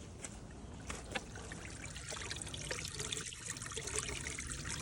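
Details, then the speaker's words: Hygger pond pump after bleeding, plugged in for real with bog filter bypassed: steady trickle and gurgle through the pipework without sputtering or air gulps; primed and flowing normally. "So now we can plug it in for real. Tighten that back up. And you can hear how it's flowing through here."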